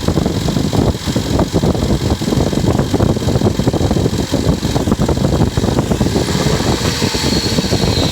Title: Strange engine noises